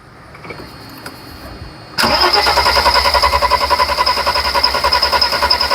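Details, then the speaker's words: 1991 Mercedes 300SL during no-start troubleshooting, injectors cracked showing dribble on numbers two and five: starter spins engine steadily at three or four beats a second but it never catches, back to the original hard start; cause suspected, not confirmed. "And now we're back to the original hard start."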